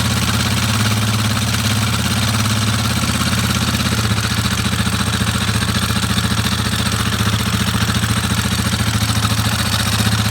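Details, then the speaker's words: Warrior ATV number 4 after a valve adjustment, warmed up, with the timing chain tensioner unchanged and nearly maxed out: a single-cylinder idle with an uneven light clatter at about 3–4 per second. Sounds better, but a tick remains; the owner suspects the timing chain tensioner. "Go warm up a little. That sounds better. There's still something there for sure, though."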